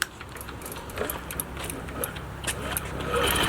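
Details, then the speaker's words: Met scooter after fixing faulty carb, bad gas, stuck throttle cables and bad fluids, fully charged battery: uneven cranking with sputtering puffs that never catch into a steady run; crank no start. "there we go it's not running yet oh it's trying now okay the battery's probably not thrilled"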